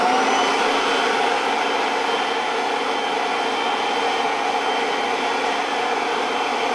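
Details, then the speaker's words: Kirby Avalir 2 vacuum with the stretch hose retracted to three feet, vacuuming velour trim: a strong, steady airy roar with a high whine, no surging or rattle. Suction is good, normal operation. "we're setting it just at three foot and it should be a lot more powerful than with a standard seven foot six hose because it's pretty close and it's got less distance to travel with the airflow"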